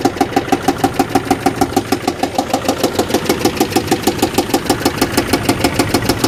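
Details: Car bought to help a single mom, which has a stuck brake light switch. Sharp, even tapping about three times a second over a rough idle; owner unsure it's a true knock. Coolant smell later makes him suspect a blown head gasket, unconfirmed.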